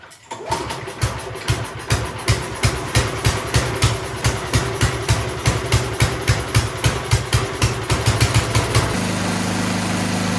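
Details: Toro Power Shift 624 snowblower starting after new drive and auger belts were installed: quick regular firing pulses, then after about nine seconds a steady, even small-engine drone; belts may still need slight adjustment; sounds normal.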